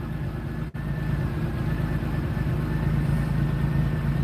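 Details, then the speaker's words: 1991 GM car at idle: a low steady idle with a slightly uneven beat and the odd stumble, rougher once it gets warm. The owner suspects old gas, which is not confirmed. "you know and it does have a little rougher idle and i think that's due to the old gas but uh"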